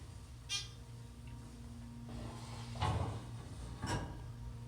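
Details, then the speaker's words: 2001 ThyssenKrupp Dover hydraulic elevator, 125 FPM, 3500 lb, 4 floors, at most 2 inches cab-to-wall clearance; faint running hum broken by sharp thuds as the cab hits the shaft fascia; pickup or guide roller suspected, unconfirmed. "It sounds like it's a guide roller problem."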